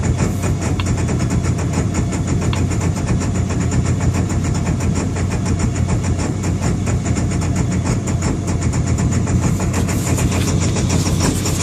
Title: Rough idle2